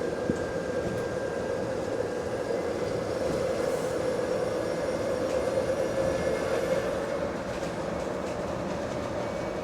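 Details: GAL bus EBD67 on route SL4, after its creaking suspension noise was fixed: a steady, even rolling drone with a faint constant hum and no creaks or knocks over bumps. Normal drive without suspension creak.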